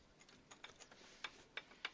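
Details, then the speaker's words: Front wheel metallic rattling like a bucket of bolts over potholes: light irregular clinks from brake pads loose in the caliper because one retaining clip is missing, plus a rattling brake shield. "они звенят то есть когда на ямку наезжаешь они трясутся здесь стоят специальные такие за женщины вот одного нету и соответственно колодки болтается по возле мяча"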